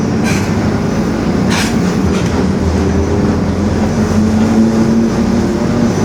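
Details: 2021 Marcopolo Torino S bus on Mercedes-Benz OF-1721 BlueTec 5 chassis, urban service: low droning hum under road rumble climbing slightly as bus pulls; differential growling.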